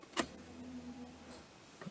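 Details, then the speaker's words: Mustang that sputtered and then wouldn't stay running after running near empty, fuel gauge just above E: at key-on a click, then a soft low electric hum for about half a second; the fuel pump now primes and seems to pick up fuel normally. "that's not like it was actually picking up fuel that's weird that sounded okay"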